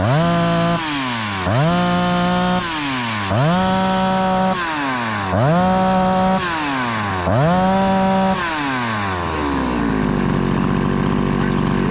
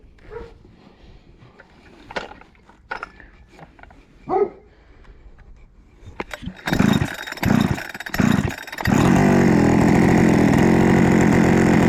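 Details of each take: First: Husqvarna 288XP chainsaw, rebuilt with a new cylinder and piston, after fixing a lean-running condition and adjusting the high idle screw: five crisp blips to high revs, each dropping cleanly back, then a steady idle. Running healthy. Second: Rebuilt Husqvarna 288XP chainsaw (new cylinder, piston, swapped crankcase), high-speed screw adjustment having no effect: after pull-start bursts it screams at a high steady over-revving pitch, running very lean, risking scoring the cylinder.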